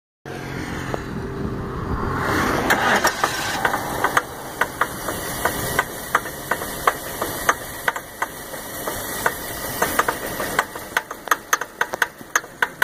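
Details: 2001 Lincoln LS V8 cranks but won't start: engine spins over with sharp irregular clicks and rattles, never catching; owner suspects broken timing chain or water pump, unconfirmed.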